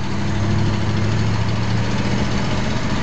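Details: Car with dual exhaust, one pipe blowing and the other not, speeding up: deep, raspy, uneven rumble from an exhaust leak that gets louder with speed.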